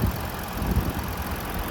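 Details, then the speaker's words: 2017 Ford Explorer Police Interceptor 3.7 V6 at idle, hood open, no check engine or warning lights, low on fuel: low, steady rumble with an even beat, no knocking or misses; normal idle, like every Ford 3.7. "There's the motor. Sounds just like every Ford 3.7."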